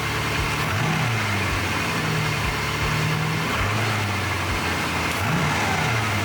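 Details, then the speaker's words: 1979 Porsche 928 V8 just restarted, throttle flicked by screwdriver, before warm-up: blips rise and fall cleanly with no stumble, miss or knock; normal smooth free revving. "I won't f it up much cuz I don't want to upset anyone that's pretty smooth isn't it"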